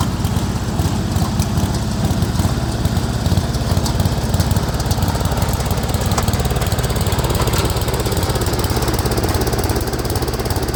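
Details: Speedex 1630 garden tractor, single-cylinder engine revived with a new carburetor and a reused head gasket: a steady but uneven, ragged thumping at fast idle, a tired small engine running rough.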